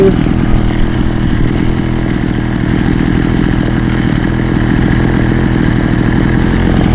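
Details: Poulan Wild Thing two-stroke chainsaw, warm, on half choke before high-screw carburetor adjustment; steady buzzing with a slightly uneven, burbly note; owner says it may need a compression ring and carb kit; rough running.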